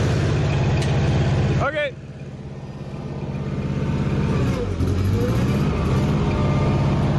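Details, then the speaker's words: Old Bobcat skid steer, gasoline distributor engine, run five years without oil changes, choke in use while warming up: uneven lumpy idle pulsing about three times a second, sagging and recovering; running on three cylinders, missing distributor reluctor suspected. "We still need a reluctor for the distributor because it's running on three cylinder, but you're having issues trying to find one."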